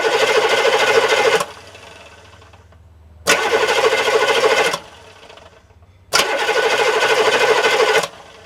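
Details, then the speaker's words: Diesel engine starter recorded with camera right under it: three bursts of fast, even cranking whir, each spinning down cleanly with no grind; normal starter cranking and spin-down. "And you'll hear what it sounds like when it cranks and when it spins down. Ready? Alright, here goes. Crank her up! You hear how it spins down when the starter slows down?"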